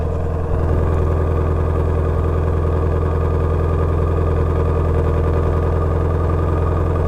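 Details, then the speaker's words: Salvage-auction GT350, just started, brake fluid slightly low: deep, steady idle with an even rumble and no knocks or misses; engine sounds healthy. "I think sounds really good I'm gonna let this thing warm up and then I want to hear the exhaust"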